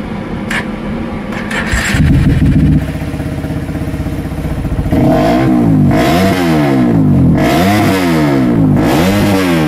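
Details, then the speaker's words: CRF engine with a new BRT 4-valve head, free-revved: revs rise and fall with crisp throttle response. Pickup is much fuller than usual, with a loud exhaust and noticeably noisy valve clatter from the 4-valve head; otherwise healthy. "Oke teman-teman jadi untuk gas-gasannya bagus dari seperti biasanya itu jauh lebih padet kalau yang 4 ini cuman memang ini suara kenapnya berisik ya"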